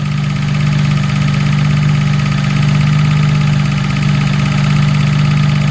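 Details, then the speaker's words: Jaguar MKII after reassembly, recorded under the car at idle: constant low drone with steady unchanging hum; hard to locate, sounds like the gearbox, not confirmed. "yeah it's hard to tell where that's coming from that noise it really does sound like the gearbox"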